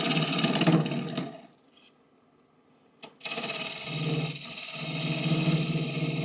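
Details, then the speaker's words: Lathe roughing out deep, checking maple bowl blanks. A rough, rapid chattering scrape comes and goes during the cut: tool chatter because the tool rest is set a little too high, the same noise heard before a bowl once popped out of the dovetail jaws. "yeah that noise usually means I have my tool res a little too high and I'm glad I caught that"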